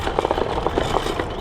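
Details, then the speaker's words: Shift Seven L8 dual 800W 60V e-scooter while riding: irregular light clacks and rattles over quiet motor hum; rider suspects rear suspension, shocks hitting their mount at full travel, needs tightening. "I think it's the rear suspension fun live animal elephant something needs to be tighter"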